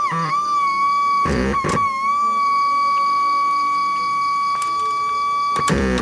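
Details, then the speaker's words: Seico SA-126TE 1990s tape deck/AM-FM radio, AN7164 amplifier ICs, into 8-ohm speaker, before restoration: cassette playback engaged, reels and pinch roller turning, but no tape audio, only steady thin ~1 kHz speaker squeal with handling knocks. "Tombol fungsi playback mechanic tape aktif, terlihat bass reel dan pinch roller berputar. Terdengar suara cuitan pada speaker."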